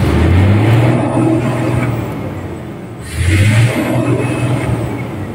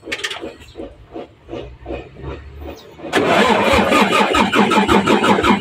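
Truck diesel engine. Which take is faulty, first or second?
second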